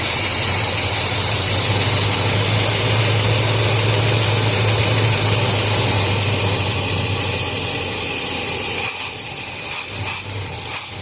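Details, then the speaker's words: 1986 Chevrolet K5 Blazer after timing and a new distributor cap and rotor: engine catches and runs several seconds, then sags and stumbles as if about to stall, burning off oil; cause unclear. "I don't know. He wants to die. Yeah. What now? What's going on?"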